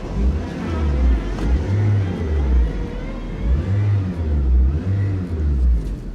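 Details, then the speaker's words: Auction car sitting at the lot, revved: uneven low surges rising and falling, lumpy rough note; engine running rough, power steering rough, maintenance looks poor. "yeah that power steering is just boy she's rough she's rough"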